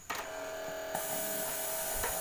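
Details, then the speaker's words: Polytron stereo compo with faulty radio, before Bluetooth module install: click then small motor humming at steady even mid-pitch; cassette deck mechanism motor still spinning normally. "kita tekan untuk dinamo mekanik di dalam masih berputar"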